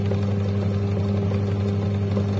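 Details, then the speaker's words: Washing machine (owner reported very loud wash motor noise) after repair, motor test-run: smooth, steady low hum with no knocks or scraping; the wash motor now runs evenly and is fully fixed. "की पूरी तरह ठीक हो गई है इसमें कोई दिक्कत नहीं है"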